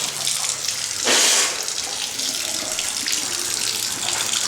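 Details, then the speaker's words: Galvanized-pipe home plumbing, water forced backward into water heater to flush rust clog, steady hissing rush with louder surge as drain valve clogs and sprays intermittently; restoring water pressure. "you can see how the drain valve starts getting clogged and how it was spraying real hard then stopped sprayed real hard then stopped but you can hear that water coming into the water"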